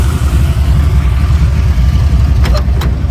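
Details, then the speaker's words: Turbocharged Chevy C20 with new carburetor spacer, hot engine at idle, carb hat not yet fitted: deep lumpy idle with an uneven stumble; number eight cylinder reads about 150° cooler than the rest, a plug not firing in number eight. "number eight cylinder is is about 150° cooler than the rest of them so it's definitely a plug not firing"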